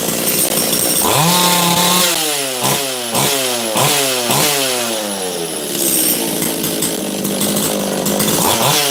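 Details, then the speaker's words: Makita DCS540 two-stroke chainsaw after low-jet and choke adjustment. Revs swing up and down, hunting and falling off instead of holding speed; a lean bog that needs the high jet richened. The owner thinks it possibly needs a carb kit. "Oh, it's boggy, it won't run. Got it going, didn't touch the trigger right away, and then got it going, well, it's boggy."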